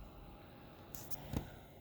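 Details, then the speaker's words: Replacement remanufactured Optoma UHD52ALV projector, paused 4K movie, phone held to projector: faint steady fan hush with no buzz. The old unit's buzzing is gone. "to the projector you can barely hear the fan so definitely something wrong with the old one I'm glad I sent it in"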